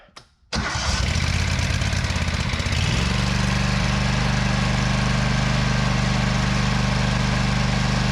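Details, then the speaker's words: Walker mower after replacing stator destroyed by magnet shrapnel; brief crank, engine catches and runs steady and even, no misses or knocks; now charging, stator was the problem; normal running. "Done charging. That was the problem."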